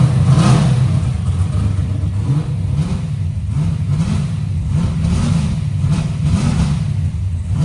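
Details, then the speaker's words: Big-block Chevy carburetor intermediate-circuit tuning: V8 blipped at part throttle with a lumpy, stumbling rise; still some unburnt fuel under part throttle, and it gets richer as the carburetor warms up quickly. "We still got a little We still got a little unburnt fuel uh under part throttle. But I noticed that the carburetor don't take long to warm up. It started getting richer."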